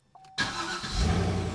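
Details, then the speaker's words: Cadillac CTS-V after starter replacement (and harmonic balancer replacement), restart after test drive: brief clean whir, no screech or grind, V8 catches within half a second into a steady rumble; new starter works. "Ah that's much better so this starter works that is fantastic"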